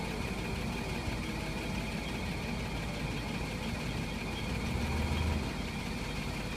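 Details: LC at idle with a steady low engine note and faint buzzy rattle/vibration, swelling briefly when shifted between reverse, neutral and drive.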